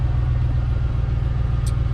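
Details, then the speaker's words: 2002 GMC Sierra 1500 with 107,000 on the clock at idle after grinding start: loud deep hollow rumble with nothing sharp on top, plus typical GM belt noise; rotted muffler blown out, exhaust all leaking from muffler. "so yeah it's definitely all coming out of the muffler"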